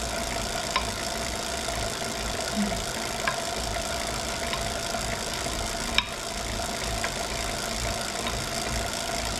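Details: Wahoo Kickr Core bike trainer: steady whir with a faint knock about once a second, in time with the pedalling.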